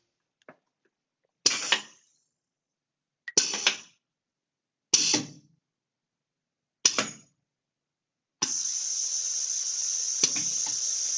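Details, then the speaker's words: Venturi vacuum generator on a vacuum cup actuator, adjustment screw turned out three turns and locked: four sharp air hisses about two seconds apart, then a steady holding hiss; now lifts the aluminum block properly. "so now our block actually lift like it was supposed to so we know that our vacuum generator is producing enough vacuum to pick up our aluminum block"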